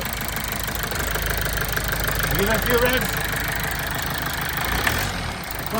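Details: Toyota Avensis T270 2.0 D4D diesel (2011), just started after priming, following a seal repair on injector number 4: it settles to an even idle, takes a brief rev and returns smoothly with no misfire or knock. Running healthy.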